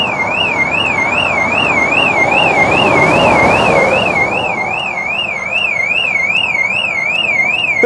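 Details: 2002 Proton Wira parked 12 years, power connected for a start attempt: loud wavering siren sweeping up and down about twice a second. The car alarm is triggered.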